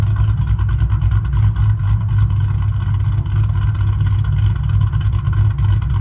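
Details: New 4.6 3V V8 engine just installed in the owner's car, no leaks: deep, steady rumble with an even beat and no knocks or rattles; runs healthy.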